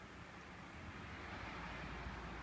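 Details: 1967 Humber Hawk parts car, rotten body, odometer reading 31: a quiet, smooth low rumble holding steady with no knocks, ticks, misses, blue smoke or fumes; the engine is a good runner.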